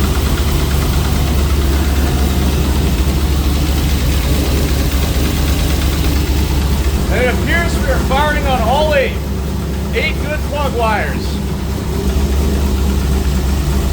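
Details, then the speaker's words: Trans Am WS6 LS1 with a big cam, after a small throttle-blade adjustment: a deep, choppy idle that lopes unevenly yet pulls on all eight cylinders; a normal, healthy big-cam idle. "oh man that thing sounds awesome woo little adjustment to the throttle blade we're in business running on all eight"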